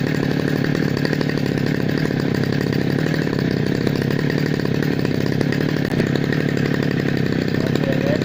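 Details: Grass trimmer two-stroke engine after cleaning a very dirty spark plug with gasoline to fix hard starting: smooth, even buzz with no misses or surging; running normally.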